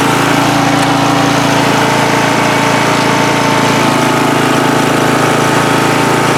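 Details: Free riding mower on a first start test after its gas tank was drained and fuel was added by hand amid flooding: a steady, even engine drone with a constant firing beat and no misses or surging, running normally.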